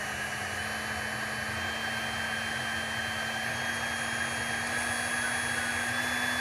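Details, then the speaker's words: Small brushed motor spinning freely with no load, internal fan: smooth steady whine with low hum and light brushy commutation hiss, pitch creeping up slightly; normal healthy unloaded running. "now there there's no load on this thing so it's not making any noise um for that but it does have a little fan inside and it does have you know the commutation noise"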